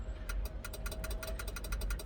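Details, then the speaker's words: Heavy-equipment machine (the 300) with a horn not working, after replacing a blown fuse: about seventeen quick sharp clicks in two seconds over a low engine hum, but no horn tone; relay clicks, connector gets power, horn itself dead. "you can hear it clicking, but no horn."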